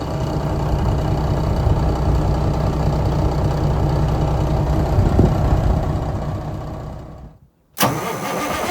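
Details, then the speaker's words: Semi truck diesel with a 24-volt starter fed by the batteries while cranking: it catches quickly and settles into an even, steady idle with no misses or knocks. Normal start and idle. "Well, let's see how this one fires up now. That ain't too bad."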